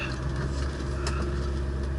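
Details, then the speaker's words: 1966 Mustang cruising on road test, engine not yet warm, after an exhaust rattle fix: steady low engine drone under road noise, no rattles from underneath; the exhaust rattle is gone. "one thing that is gone is the rattle on the exhaust system underneath I have not heard it yet yep it is gone thank goodness"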